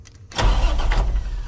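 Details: International 4900 bucket truck diesel, sat five years, new 41MT starter fitted, engine not seized: starter bites at once and spins it over with a strong, steady low churn, no grinding or clicking; healthy cranking.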